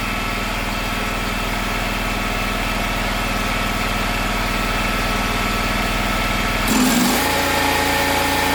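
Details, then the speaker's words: Gravely 260Z zero-turn mower, about 2006, Kawasaki V-twin, after carburetor replacement: fast steady idle that shifts and settles, as the unlocked idle screw that had vibrated in is turned down and locked. "Long before I uh replace this carburetor, I noticed the uh idle had been increasing and uh for some reason and I didn't realize that the screw I guess uh it wasn't locked down. The lock nut was not locked and it's been vibrating all the way in."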